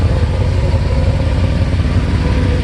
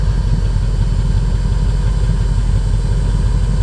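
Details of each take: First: 1988 Mercedes-Benz 560SEC V8 with aftermarket catalytic converters at idle: loud, rough puffing chuff over a low steady idle, gas escaping at an exhaust pipe junction; exhaust leak that needs repair. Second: 1988 Mercedes 560SEC V8 with aftermarket catalytic converters, exhaust sound at idle: deep, even burble with smooth unbroken rhythm, no missing beats; all eight cylinders firing.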